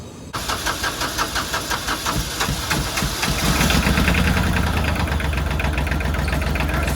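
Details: Kubota L3000DT diesel tractor with a good used replacement engine, fuel line set straight to the pump to bypass: a few seconds of cranking, then it catches and settles into an even, steady diesel clatter with no knocks; sounds healthy.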